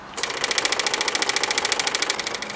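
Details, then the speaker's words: 1946 Willys Jeep CJ2A after replacing the old fuel pump with a K&N electric pump: rapid, crisp, evenly spaced ticking at about fifteen per second as it primes and pushes fuel; normal fuel pump priming. "All right, sounds like a brand new Cadillac now. So we eliminated the old fuel pump."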